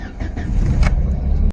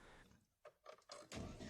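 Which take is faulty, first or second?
second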